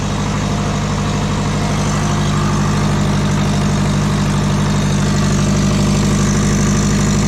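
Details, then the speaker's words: Subaru with twin-turbo low-mount setup, started at idle after exhaust sealant cured 7–8 hours: fast regular puffing tick, about three per second, over steady rumble. Exhaust leak suspected at headers or else the 50 mm wastegate; manifold nuts to be tightened. "kind of sounds like it's actually coming from the headers uh if it's not the headers it's definitely that 50 millimeter wastegate"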